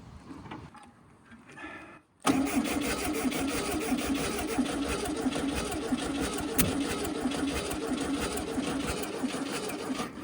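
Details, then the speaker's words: 1968 VW Baja Bug barn find after re-cleaning points: cranks briefly, then runs ragged with an uneven, stumbling beat and no smooth idle, sounding starved for fuel; cause unknown. "Sounds like it wants more gas, but it's such a tiny engine. That's kind of a bad sign."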